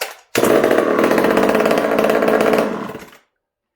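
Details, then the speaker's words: Hot-rodded Homelite two-stroke chainsaw, cold start after sitting a few days: crisp fast rattle held at high revs then dropping cleanly; runs strong and healthy. "There you guys go. I know you guys have been dying to hear that run."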